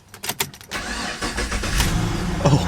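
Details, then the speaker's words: Chevrolet Caprice PPV cold start on a roughly 90-degree day: a few quick starter cranks, catches at once and settles into a steady even idle; clean healthy start. "yeah it starts like a dream don't it"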